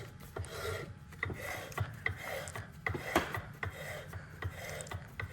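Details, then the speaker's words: Honda S2000 differential with MFactory 4.57 (7:32) ring and pinion, on the bench with no lubrication, turned slowly by hand after matching the factory lapped pattern. Even rasp with a soft rub, a little quieter on coast and rougher on drive; normal gear whine, healthy mesh. "A little quieter on the coast, a little bit rougher on the drive. These gears have a gear wind to them, they all do."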